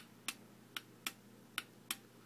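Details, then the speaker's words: Bolero Wireless Enfora 1318 cycle counter power supply for commercial dishwasher, red wire touched to hot side to simulate a cycle: five sharp, crisp clicks at irregular half-second gaps as the relay closes, LED confirms contact; normal relay switching. "And I'm going to take the red wire, and I'm going to just touch them together. Now you can hear the relay closing."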